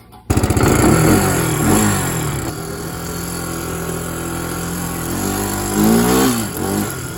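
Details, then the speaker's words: Barn-find three-wheeler, single-cylinder, fuel tank leaking gas, first run: rough idle with a fairly quick light tick, about four per second, over the exhaust. Top-end tick, cause unknown. "it's got a pretty pretty good tick there and it's leaking gas out of the tank so that's not good it runs okays"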